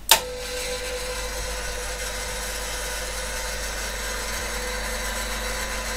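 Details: PDP-11/34A vintage computer under repair, power-up with a fan speed controller: a click, then a steady, even fan whoosh and soft hum with no rattle or bearing noise; the speed control works, quieter at slightly reduced speed.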